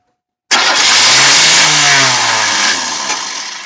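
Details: 1993 Oldsmobile Cutlass Ciera: the starter spins the engine with a loud, fast whirring churn that fades without catching; it sometimes starts if gas is pressed; owner suspects the starter, not confirmed; crank no-start.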